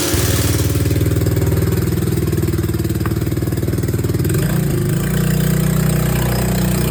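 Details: Honda Helix maxi-scooter after rebuild, first start on old fuel: brief starter whirr, then the single catches and settles into a steady, even idle that smooths out after a few seconds; healthy start.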